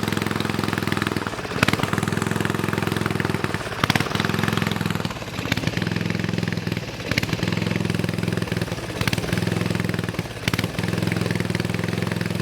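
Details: Snowflite snowblower, donated, started by hand outdoors with fresh gas and oil slightly low: small single-cylinder chugging at a steady, even speed, no sputtering or surging; runs well.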